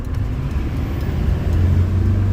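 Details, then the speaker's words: 2008 Chevy Silverado 3500 6.6L Duramax LMM diesel with new FASS lift pump and isolated fuel system, fixing air suction by the CP3 that caused stalling, under hard pull: low roar climbing smoothly without stumble; works, pulls aggressively. "okay okay she works she works um oh boy that was a pretty aggressive pull in the end"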